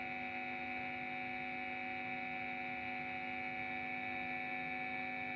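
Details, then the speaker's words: TP-Link power adapter measuring 9.17 V connected directly to a guitar effect: constant electrical buzz with several fixed tones and a bright upper whine; noise reduced when pressed; mains hum from the adapter. "Itu mengeluarkan suara, lho. Bunyinya mendengung. Jika kita, eh, menekannya seperti ini, kebisingannya akan berkurang seperti yang saya jelaskan sebelumnya."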